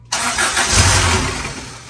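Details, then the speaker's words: Acura Integra GSR B18C1 running a P75 manual ECU with VTEC and an Omni Power 3-bar MAP sensor, ECU reset, no codes: engine cranks and catches, then fades within a second or two on easy throttle instead of idling; starts then stalls, cause unknown. "no easy easy throttle don't rev it just easy throttle just try to keep it going"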